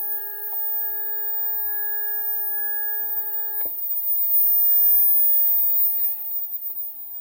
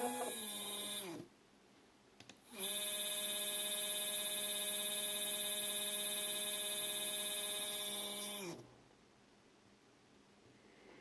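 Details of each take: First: 3D printer stepper motor, unused for a year, previously fine on X/Y axis, 2 A peak, tested alone before parallel wiring: steady clean tonal hum moving smoothly, no grinding or skipping. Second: Two 3D-printer stepper motors wired in parallel sharing 2 amps give a loud, steady buzzing whine with a ladder of tones while turning, then stop abruptly; loud stepper motor noise, quieter at maximum speed.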